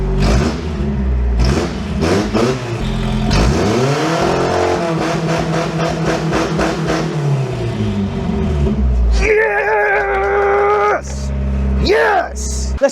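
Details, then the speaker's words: Toyota 4Runner left sitting 10 years, after a fuel pump replacement and a new, properly crimped main wire and connector: engine catches and revs cleanly with no misses; owner suspects the main wire's low voltage was the cause all along. "It was undoubtedly running better after the first fuel pump. That's there's no question about it."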